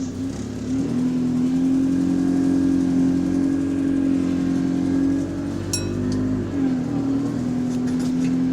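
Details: Bus GAL 731 diesel pulling under throttle on route: strong low drone with faint irregular repetitive tick, cause unclear.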